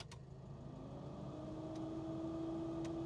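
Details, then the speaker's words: 1969 Alfa Romeo GTV 1750 (1779cc), warm after idling five or six minutes, water 140°F, oil pressure 55 psi; two-speed heater blower running with steady even fan hum over quiet idle, normal operation. "we have some heat coming in the car the um the uh blower motor works it's two-speed I"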